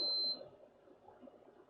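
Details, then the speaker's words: PlayStation 5 (unopened, damaged HDMI port) that flashes blue, then won't boot: one short, high beep, then silence. The three-beep code is said to mean overheating, but a BIOS or LED ribbon cable fault is suspected. "so that three beep those three beeps is overheating um from what I can"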